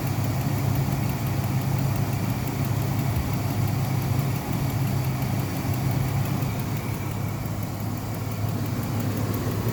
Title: what is that clicking noise?